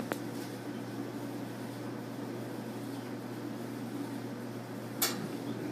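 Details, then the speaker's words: Gas clothes dryer just after replacing a defective gas valve (part 145493) that caused a whistle: a steady low drum and blower hum with light clicks and no whistle; normal running after repair. "it is and i don't hear no more wizarding noise so the whistle noise was caused by a defective valve"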